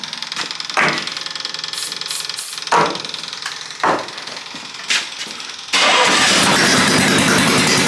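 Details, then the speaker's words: Half-scale NASCAR Mini Cup race car after carburetor cleaning, starting fluid and reconnecting the fuel pump: a few cranking clatters, then it catches into a loud, raw, crackling bark, running with no exhaust fitted. "No exhaust on right now, but we're scooting."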